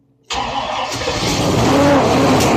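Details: 1967 Buick Riviera 430 V8, first start after reinstall, vacuum advance disconnected, distributor being set with a timing light: fires abruptly and revs unevenly to almost 2,000 rpm; rough running, timing suspected, not confirmed.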